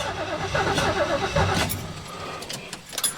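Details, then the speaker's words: 1973 Mustang Mach 1 after a car wash: brief uneven cranking with a few sputters that never catch; no start because spraying left moisture inside the distributor cap, fix is wiping it dry. "not going to start okay I just took the cap off of the distributor and if we look inside can you see there's moisture inside of it"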